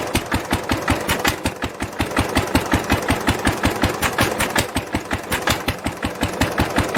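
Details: 1946 International LBBR 3-5 hp hopper-cooled engine off a hay press, with a homemade glasspack muffler fitted: steady, even exhaust beats around 160 a minute, muffled and regular, no knocks or misses; normal running.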